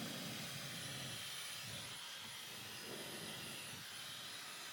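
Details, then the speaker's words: Dyson Supersonic HD03 hairdryer: a thin, high, steady whoosh over a strained, dull hum as the fan labours, with a horrible smell, then flashing lights and shutdown after seconds. Filter is clean; hair wrapped on the motor shaft. "Flashing lights goes off. Filter looks fine. So it just seems like it's laboring like the fans just laboring."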